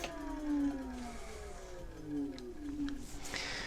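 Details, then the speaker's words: Kaabo Mantis GT electric scooter, wheel spinning free: hub-motor whine drops and settles at a lower steady tone as the newly wired limiter loop engages 25 km/h restricted mode; opening the contact re-accelerates it. "Et au bruit, vous allez entendre le moteur qui se met en bridage. Si j'ouvre, ça accélère. Si je remets, on est en bridage."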